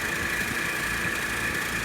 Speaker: i'm sure you can probably hear the bearings in that fan motor are going bad so i will have to replace that fan motor in the not too distant future